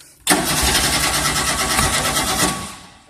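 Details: 1988 Tennant 255 Series 2: starter churns quickly and evenly for about two seconds, then stops, engine never fires; cranks but won't start. Fuel pump sounds quiet, owner suspects it may need fuel. Cause not confirmed.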